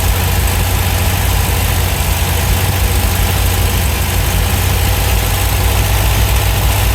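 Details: 1971 MGB GT, after cleaning the carbs: loud, low, lumpy idle with no clear knock. Better than before but still rough.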